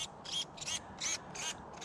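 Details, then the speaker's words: 1/16-scale Hosim brushless RC car on 3S LiPo, right after a full-speed jump crash: sharp, high-pitched buzzing bursts about three a second as the steering twitches on its own. The steering servo is glitching from crash damage. "i hear the steering steering servo flipping out all right all right well uh it looks like we got a uh little bit of destruction on the hose empower"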